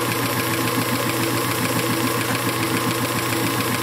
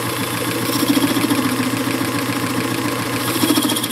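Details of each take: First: Circa 1919 Hjorth lathe, restored with the spindle left unopened, taking a light finishing cut of about a thousandth: a steady, even hiss like a leaky air hose, the desired sound of a normal cut. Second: Circa-1919 Hjorth lathe, spindle left unrebuilt, taking a light power-fed Z-axis cut of about a thousandth: steady hum with a faint wavering buzz of slight tool chatter.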